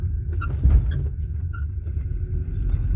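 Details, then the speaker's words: 1990 BMW E34 520, rear right side, over speed bumps and dips: short metallic chirps, metal-on-metal squeak from rear suspension; owner suspects the right-side shock rod sits too close to the strut mount, not confirmed. "звук доносится задней части автомобиля с правой стороны по ходу машины"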